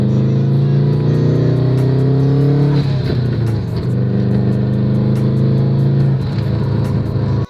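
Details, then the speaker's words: Subaru after cleaning the spark plugs: the engine revs up smoothly and settles back with no misfire or stumble, with linear power delivery; normal revving. "Cuz now the engine revs up nicely, there's no misfire, there's smooth and and linear power delivery and all of that."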